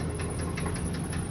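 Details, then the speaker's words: 2012 Ford work van idling, shifted to reverse and forward: fast even knocking several beats a second over low rumbling idle, unchanged with gear; definite engine knock, cause unknown. "you can hear that it um has a knock on it on the uh engine that noise that you are hearing is uh engine noise"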